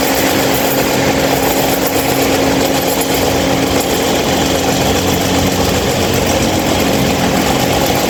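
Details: Mahita 26-inch stand fan: steady loud whirring roar with an even hum underneath and no rhythm change; the fan runs abnormally noisy, cause not evident.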